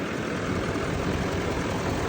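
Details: 2017-2019 Chevy L5P Duramax 6.6 diesel warming up at idle after No. 4 injector pigtail replacement and two days sitting, no leaks: smooth, even rumble with no knocks, misses or ticks, warming up normally.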